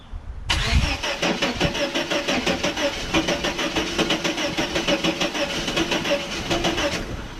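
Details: 1989 Chevrolet S10 Blazer cranks in steady rapid pulses for about six seconds but never catches after everything was connected; cause unknown, owner wonders if it is electrical or needs new cables.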